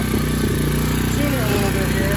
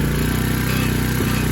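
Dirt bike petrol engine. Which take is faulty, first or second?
first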